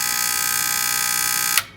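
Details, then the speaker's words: Atlas Sound CP400 two-channel commercial 70 V amplifier at power-up: a harsh rapid buzz that stops dead when switched off; both channels' protection lights on; possibly the speaker protection relays chattering. "so that humming or chattering sound really to me sounds maybe like some relays there would definitely be speaker protection relays"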